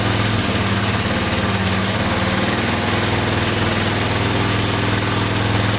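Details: Honda ATC250SX three-wheeler idling after the stuck timing chain tensioner was freed; valves checked good. Loud single-cylinder idle with a light, uneven top-end rattle that owner suspects is a loose timing chain, not confirmed.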